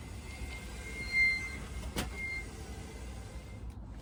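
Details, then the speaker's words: 2019 Yamaha FJR1300 front wheel: a high, thin squeak that comes and goes as the wheel turns; the front brake pads rubbing on the discs are suspected, before the pad change. "so to me that sounds like it's the pads rubbing on the discs"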